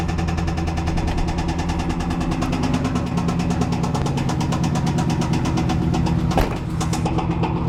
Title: 95 z28 LT1 bad rod knock